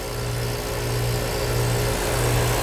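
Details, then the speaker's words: House central AC whose compressor had not been running, only the fan, after two bad wires were reattached: a steady low hum with a faint even pulse and no clicking or stalling; the compressor now runs normally. "she kicked in here it that's it hear the compressor running yeah that's that's what we're talking about"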